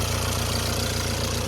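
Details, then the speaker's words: Jaguar XE, first start after a broken ground strap caused a no-crank/no-start: fast, even idle with a light metallic chatter over the low rumble; timing chain rattle, not the cause of the no-start. "There is a time rattling in it, but it's not that's not our problem today."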